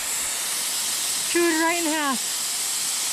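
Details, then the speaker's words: Maple sap vacuum tubing line crossing a creek. A steady, sharp hiss with no rhythm, creek noise behind it: an air leak where a squirrel chewed the tubing and chewed the fitting, which gets replaced. "If I can hear the leak. Sounds like it's on the street right up here."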